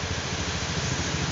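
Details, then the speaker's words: Honda Scoopy automatic scooter after flood damage, crankshaft bearings replaced: even, steady single-cylinder idle with no knock or rattle, the earlier loud noise gone. "jadi ini suaranya Udah halus teman-teman Tadi suaranya itu berisik sekali"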